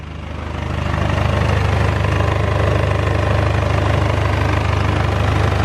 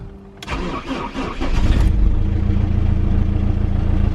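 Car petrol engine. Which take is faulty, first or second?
first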